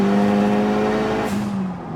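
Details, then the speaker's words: Talon at 530 hp on the same clutch and flywheel used at 350 hp: under full throttle the engine holds a high flat note then sags without pulling; clutch slipping under load. "Did you hear it go, nah? That was the slippage."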